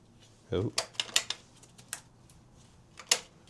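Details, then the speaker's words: Honda CBR1000RR Fireblade with an undiagnosed engine noise (cam chain tensioner and oil pump chain ruled out), first start attempt after cam chain work and reassembly in a cold snap: a short starter clatter and light ticks, no crank or firing. Owner suspects a weak battery. "Well, that's not a good sign. What on earth?"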